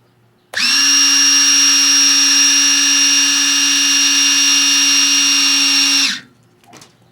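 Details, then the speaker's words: DB Electric replacement BMW electric center stand motor bench tested: steady high even whine for about five seconds, then clean stop; spins fast, slightly faster than the original, normal run. "I think the results speak for themselves. You can hear how fast this motor is running. Totally faster. It's actually faster, a little bit faster than the OE one."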